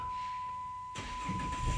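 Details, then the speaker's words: Chrysler/Dodge LX car (300/Charger/Magnum/Challenger) with check engine light, codes P0607 and U0101: steady chime for about a second after key turns to start, then engine suddenly catches; delayed crank, with harsh shifting, suspected engine computer fault. "oh a delay okay let's see y'all heard that so when i turn the key to the start position i just get a cur"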